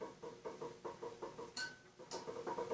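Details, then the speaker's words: Snapper RER rear-engine rider during rebuild, steering shaft rocked by hand: light, uneven metallic clicks and rattles from a worn lower steering shaft bushing; top shows no wear, bottom bushing to be replaced. "you can hear it rattling so the bottom bushing will replace even if I didn't think it needed replacing"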